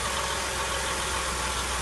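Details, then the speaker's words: 2004 Mercury Monterey 4.2 with codes P0300–P0303, P0316, P0171, P1270 at idle: rough, stumbling, uneven idle with gurgling air back through the intake; severe misfire, catalytic converter suspected damaged. "You can hear, you can feel, you can see the misfire. See how the engine's stumbling."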